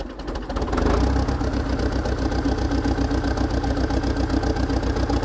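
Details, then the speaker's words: Dresser TD8E International Harvester bulldozer diesel just after fuel filter replacement: cranks, catches within a second and settles into a steady, even low chugging idle without the earlier "helicopter" sound; the owner thinks the new filters fixed it. "Okay, I think the fuel filters fixed it. it would have been doing this the the helicopter sound already."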